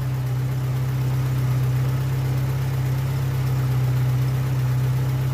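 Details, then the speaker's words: Oldtimer VW Polo small petrol engine idling smoothly at a steady speed after work on the engine. Earlier rpm fluctuations are gone; oil flush is in after sludge was found in the valve cover. "Ja, die Drehzahlschwankungen sind offensichtlich auch weg. Klingt gut, qualmt"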